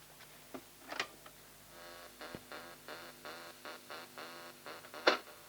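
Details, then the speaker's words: Pye 3214 cassette recorder with a wobble on the sound and strange noises: quiet music plays back with a wavering, unsteady pitch over light ticking from the mechanism; wow and flutter. "i wonder what's causing that rather listen [Music] foreign this label is peeling off yeah it's very wobbly"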